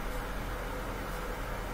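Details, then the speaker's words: Bosch Axxis washer diagnostic test, hot water valve energized: steady low hum with an even rush of water into the dispenser's left side; hot water inlet valve filling normally. "the left side should be the hot water yeah looks good perfect"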